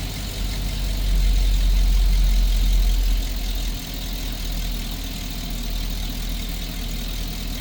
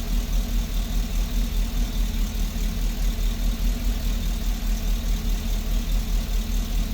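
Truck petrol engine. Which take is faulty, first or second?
second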